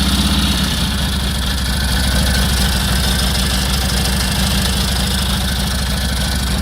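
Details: 1946 Indian Chief, original restored V-twin engine, first run after about 12 years in storage: lumpy but steady idle, even low thumps about three a second, no misses or knocks; running healthy.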